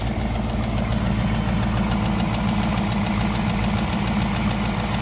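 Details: 2018 Mustang GT PP1, 6-speed manual, very high kilometres: warm idle a few minutes after a cold start shows a light, quick typewriter-like tick that follows engine speed. Source unclear; owner unsure whether it is harmful.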